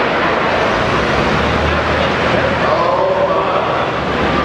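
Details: Pulling tractor under load during a pull: a loud roar whose pitch climbs suddenly once the drive lets go. The driveline broke, letting the engine over-rev, which destroyed the engine.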